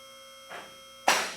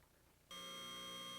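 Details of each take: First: Newly installed Advantage lift raised for the first time before adjustment: over a steady electric motor hum, two separate safety lock clicks land about half a second apart instead of together. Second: Advantage lift leveled and run up on its power unit: steady pump hum, then one sharp click with faint ticks as all locks engage at once, showing correct lock synchronization.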